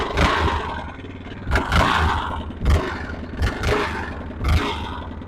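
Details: Red Yamaha Grizzly 660 ATV from a junkyard collection, throttle blipped about once a second: a rough clattering rattle rides each rev and it smokes a little out the back; owner suspects a bad connecting rod, rod knock.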